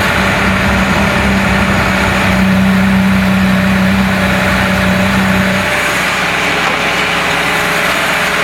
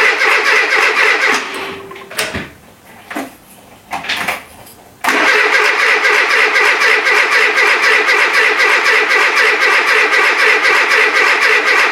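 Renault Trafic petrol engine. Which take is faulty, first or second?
second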